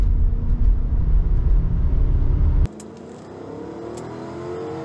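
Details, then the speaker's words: 1995 Lexus LS400, 160,000 miles, warm engine on the road after an ECU replacement cured a six-month intermittent misfire: strong even pull above 5000 rpm with no stumble or misfire, then a clean lift off the throttle; normal. "I think that's it I think we solved it there's no misfire pulling strong I almost went above the speed limit there"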